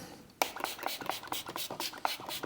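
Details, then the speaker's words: MG ZS 180 rear hub turned by hand during rear brake overhaul: gritty scratchy grating in uneven bursts, hub slightly wobbly; if noise persists the wheel bearing needs changing. "But you don't want to hear it grating like it is at the moment."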